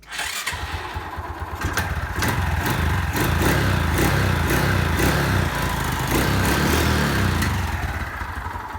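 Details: Honda XRM 125 (possibly fuel-injected) small single, starting then idling: steady tapping about four per second over the putter; owner asks where in the engine the knocking comes from.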